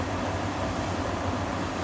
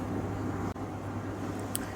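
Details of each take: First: Beko heat pump tumble dryer after replacing the drum motor, whose old winding was open circuit: starts by itself on pressing start, smooth even hum with low rumble, no knocks or scraping; drum running normally. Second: Beko heat pump tumble dryer, drum not spinning: motor gives a steady buzzy hum and won't turn, spins slowly only when shoved; open motor winding.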